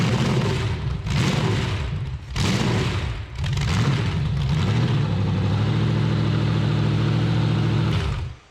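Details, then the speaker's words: Stock junkyard Chevy 350 small block, about 100,000 miles, pinned crank, new plugs and intake gaskets, with 871 supercharger on run stand: loud lumpy loping V8 idle after blips, gauge showing 20 inHg vacuum instead of boost; runs rough, suspected big vacuum leak or faulty gauge. "It doesn't seem like it's running right, and it's pulling 20 pounds of vacuum on the boost gauge."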